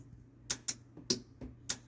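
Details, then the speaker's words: 351W car with transbrake: six crisp clicks in pairs as buttons are pressed, relays switching properly after a backwards wiring fault that had sent no power to the transmission was fixed; lock-up, overdrive and reverse now work. "you can hear it all clicking when I use it my lock up button actually does work as well and I actually have reverse and everything now"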